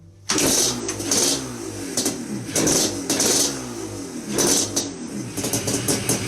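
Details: Yamaha Banshee two-stroke that wouldn't start, after cleaning carbs, upsizing pilot jet and cleaning the reeds (old gaskets suspected): catches right away, crisp blips rising and falling cleanly with throttle; starts and revs healthy.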